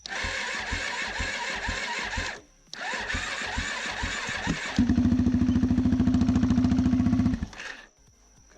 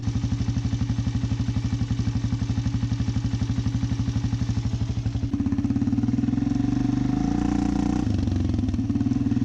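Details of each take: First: First start of a rebuilt big-bore Arctic Cat DVX400 (LTZ440) single on fresh 93 octane fuel, new fuel lines, stock exhaust with power tip, airbox off: short starter bursts then steady even thump; sounds healthy. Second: Rebuilt big-bore Arctic Cat DVX400 (LTZ440) single after a carb tune, weak battery: steady thumping about four beats a second that briefly stumbles mid-run; slight sputter, improved from earlier bad sputtering, cause unclear.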